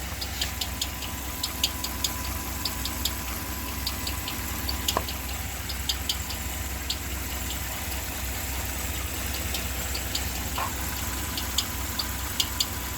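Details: 2015 Ram 1500 with the 5.7 Hemi, drive belt removed: sharp light ticks about once a second at idle, loudest from underneath and heard as internal to the engine. It sounds like a lifter, but the source isn't confirmed.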